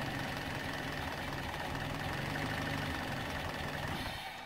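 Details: Toyota Allion 1ZZ-FE idling for 15 minutes with light throttle blips after solvent poured into cylinders and oil system flush: uneven, lumpy idle with irregular stumbling, trying to stall; rough running from solvent.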